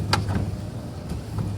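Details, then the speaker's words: Rivian R1T pickup at 15,000 miles, tonneau cover opening on its single motor: low motor drone with irregular sharp pops scattered through as the cover runs, yet it opens fully; intermittent popping in the cover drive. "let's see if it opens very dicey it's one motor you can hear it popping every now and then"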